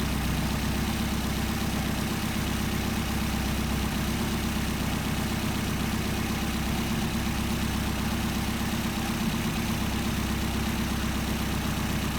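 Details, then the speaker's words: Solex carburetors under adjustment: steady rumbling idle whose speed sags and turns slightly uneven as one carburetor's idle mixture screw is screwed in, leaning the idle mixture; backing the screw out brings the idle back up from about 700 to 850 rpm. "I'll redo the adjustments to show you how the idle drops off. See the idle dropping off."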